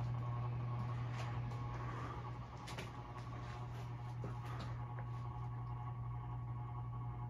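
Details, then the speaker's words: Hampton Bay Carousel 52-inch ceiling fan by CEI, running in reverse with blacklight; light, uneven ticking about three times a second under the motor hum, from the green lamp in the light kit, possibly also the mounting bracket. "yeah it's definitely the lights it's a favorite green one again that's making all the"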